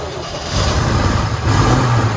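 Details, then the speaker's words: 1960 Corvette V8, first start in over 20 years after brake work and plug wires sorted, in neutral: catches within half a second, settles to a steady deep even run, no knocks or misses; healthy. "What do you think? Sounds good? Yeah, I mean, the engine, that's really all you know. The engine's on. Yeah. And it doesn't sound bad."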